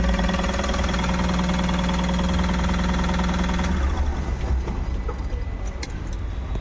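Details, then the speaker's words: Tata Ace Gold BS-6 diesel, restarted: smooth, even idle with no knocks or misfires, then a clean shutdown; starting problem fixed; normal idle. "लेकिन अभी जो हमारी गाड़ी starting problem के लिए आई थी व गाड़ी स्टार्ट हो गई है"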